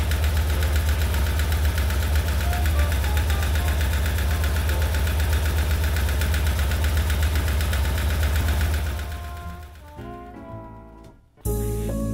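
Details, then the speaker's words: BMW R1150 GS boxer engine idling; a steady, quick ticking knock over the low rumble, typical of the model, heard on both the left and right cylinders. Pushrods are suspected, not confirmed. "The sound you hear is a characteristic knocking sound that may come from the pusher sticks."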